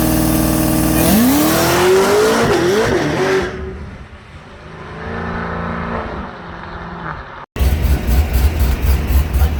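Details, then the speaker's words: Drag car on a private test at Darlington Dragway, hard pass through first to third gear: the engine climbs hard, then stutters in quick even bursts as it bangs the rev limiter, which cuts everything; planned fix is to lower the shift RPMs. "so that's where all that pop and the Banger was that she was smacking the limiter and it was cutting everything makes sense"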